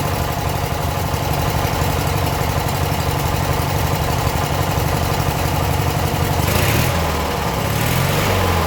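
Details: Abandoned 1996 Briggs 17hp I/C flathead opposed twin, running on its own for the first time in over ten years; the weak battery couldn't crank it fast enough. Even low thumping, about three beats a second, brief blip near the end; normal idle.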